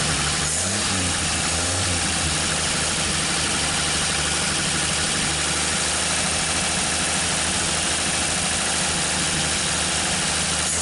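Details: 1959 Chevrolet Apache truck on its first start in years, warmed up. Fast steady idle with a busy rattly top end and no clear knock. Low compression, timing kept retarded, smoke from the tailpipe; valves need adjusting.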